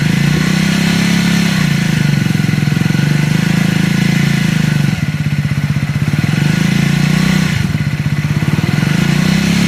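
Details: Triumph Scrambler 400 X single-cylinder: thumping through throttle blips with a light mechanical clatter riding on the beat; abnormal engine noise, cause not pinned down.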